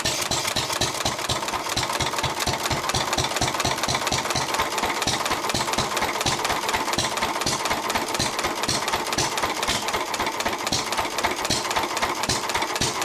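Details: 1923 3.5 hp Emu (rebadged Hercules) engine, first start in 20+ years, after oiling the sticking magneto and exhaust-valve mechanism: crisp, regular firing beats at a steady pace with no misses or clatter; it runs pretty well.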